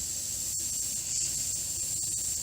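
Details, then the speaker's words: Corvette A/C system pressurized with air for a leak test, gauge dropping slowly: steady high-pitched hiss with no engine noise, leak found at the front at the A/C condenser, which needs replacing. "you hear that so that's where the leak is so this guy needs a new AC condenser but at least now we know where the leak is the condenser obviously"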